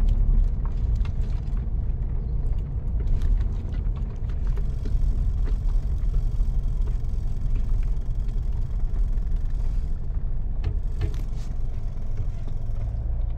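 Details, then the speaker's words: Mitsubishi Montero after fitting insulators to the rear coil springs, test driven over rough, bumpy pavement and turns where it knocked before: only low tyre and road rumble, no clunks or knocks from the rear; suspension quiet. "pagkan mo diyan sir pinggan natin Ano sir Wala sir Wala na ox na mga kabok"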